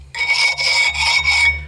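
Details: 2008 Dodge Avenger front wheel: harsh high-pitched scraping rasp pulsing with wheel rotation, worn-out brake pads grinding metal on the rotor, before replacing pads, rotors and front wheel bearings.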